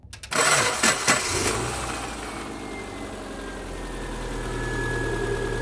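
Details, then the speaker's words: 2007 Subaru Forester, 2.5 L single-cam automatic, restart after alternator replacement with battery at 12.68 V: short crank, catches cleanly, smooth even idle with no knocks or squeal; charging at 14.2 V; owner notes the starter is poor. "all right she fired up we're also back at 14.2 things are looking good for the super Maru baby"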